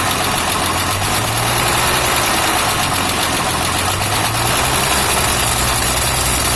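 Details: Toyota FJ60 at idle: a steady engine under a loud, constant intake-like hiss with an uneven low thrum; a vacuum leak is suspected but unconfirmed.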